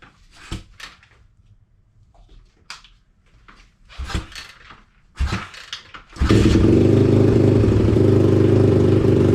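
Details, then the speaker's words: Pitster Pro X4 pit bike, first start after swap to a Daytona Piranha 190 engine, still cold and unchoked: knocks and handling sounds, then the single catches and settles into an even, steady beat; normal idle. "runs like a jam yeah buddy still a little cold and unchoked but she sounds good"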